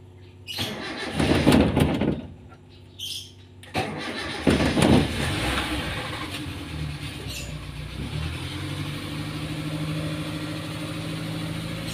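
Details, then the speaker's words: Car that starts hard when hot, here started cold in the morning before driving: a few short cranking bursts, then it fires and settles into a steady quiet idle. Normal cold start. "nah begitu tadi apabila mobil saya saya starter kalau masih belum jalan enak ya langsung kita starter sekali langsung menyala"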